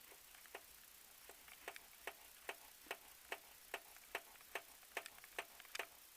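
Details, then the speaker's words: Honda CR-V III, trim removed at rear right wheel arch near rear right strut: crisp, light, fairly even clicks about two and a half per second over near silence; a newly appeared noise of unknown origin. "Причина следующая. Достал неизвестно откуда появившийся звук. Сейчас буду стараться показать его. Щелчки идут."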